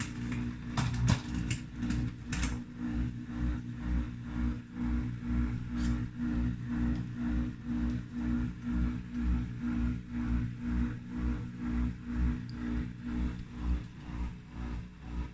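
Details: 20-month-old Samsung dishwasher running with a steady low hum and a rhythmic pulsing clicking knock about twice a second; abnormal noise.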